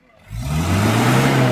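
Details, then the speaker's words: 1987 Isuzu Panther Miyabi diesel after Blackcore tuning plus additive combustion-chamber cleaning; catches and settles into even low drone, smoother sound, no harsh knock or rattle, smoke less black. "tapi suaranya juga lebih halus suaranya lebih gerering garing toh reng kengengengeng gitu halus betul-betul suara nganu diesel"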